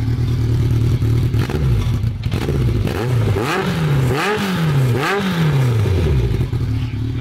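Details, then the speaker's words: Honda CB700 Nighthawk S on a new charged battery, warmed up after sitting about two years: engine revved several times, blipping up and settling back smoothly with crisp even pulses and no knock or rattle. Healthy running. "i'm going to get toby to rev the bike one more time so you can hear it in all its glory"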